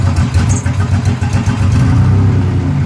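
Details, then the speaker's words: Nissan Z31 drift build, now idling: engine sputters and stumbles unevenly when given gas instead of pulling clean, main issue blamed on an intake air leak; owner says it performs fine at high revs. "see if we give it some gas it's gonna sputter and this is the main issue I'm having with that air leak"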